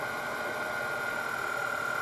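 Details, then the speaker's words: Denso 120A alternator from a Jeep Grand Cherokee on a bench test at about 3,000 rpm, excitation raised, charging a drained battery at just over 10 A: steady high whine at one pitch, changing note under load, smooth and even; normal. "we can hear this up we can hear the sound is changing of the alternator and so that's about maximum"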